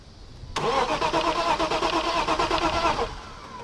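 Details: BMW 325is: starter churns in an even, steady rhythm for about two and a half seconds, engine never fires while fuel pump fuse is being checked; crank, no start.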